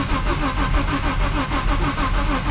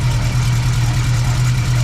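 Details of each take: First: BMW E30 M-Tech after head rebuild with new valves and rocker shafts: starter cranks evenly six seconds but engine never catches; fuel feed and return lines swapped, pressure found on return side. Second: BMW E30 engine idling after header knocking was addressed: steady, even low hum with no knocking or tapping.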